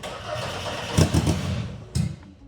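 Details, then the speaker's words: BMW E30 drift car with Volkswagen 07K 5-cylinder swap, cranking without starting fluid: low starter churn with a couple of brief pops as it tries to catch, never picks up and runs; cranks without starting. "I think we just need to keep going. It's going to fire off eventually. What more can I do? Let's just keep cranking her."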